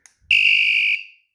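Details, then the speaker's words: Pebble e-bike hidden 120 dB vibration alarm, locate bell triggered from remote with two alarms paired: short piercing very loud high-pitched electronic tone about half a second; normal alarm locate bell. "It's got a bell button, which lets you, if you want to find your pebble in the parking lot."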